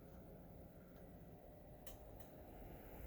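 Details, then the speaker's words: Replacement Optoma UHD52ALV projector with 4K movie paused, phone placed next to it: very quiet steady fan hush, no buzzing like the previous unit's. "can barely hear the fan so definitely something wrong with the old one"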